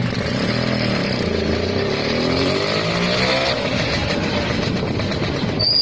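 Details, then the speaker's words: Restored vintage Lambretta two-stroke scooter being revved and ridden: buzz rises smoothly in pitch as the throttle opens, crisp even note with no misfires or rattles; running healthy. "Son du moteur de la Lambretta Donner de l'accélérateur à la lambretta Conduite d'une Lambretta"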